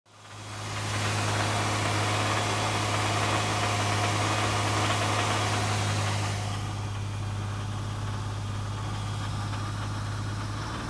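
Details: 2011 Hyundai Genesis 3.8L petrol V6 idling with a steady low hum and a rapid rattly knock of about four beats a second; cause unknown.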